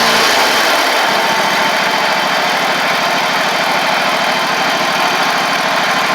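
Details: Ferris stand-on mower, 2018 Briggs Vanguard 49E877 OHV V-twin, after the fix for running on one cylinder (loose intake rocker/guide bolt had thrown the pushrod off; pushrod refitted): runs smooth and even at a fast steady pace, both cylinders firing cleanly.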